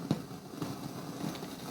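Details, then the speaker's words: 1970s FAL 12-channel stereo audio mixer played through an amplifier and speakers: irregular crackling rumble with soft pops on one channel, blamed on bad op-amps, over white noise and slight mains hum; many bad contacts too. "yeah this channel definitely has some bad op amps because this sort of noise you know this is not your oh dear"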